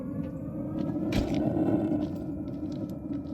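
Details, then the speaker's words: Atwood/Dometic RV water heater in a 27-ft Class C RV, lighting normally: a soft rushing whoosh of propane swells as the gas valve opens, with the igniter ticking as it sparks to light the flame. "You'll definitely be able to hear both of those things. You can hear like a whooshing sound of the propane, and then you can hear the igniter starting to spark."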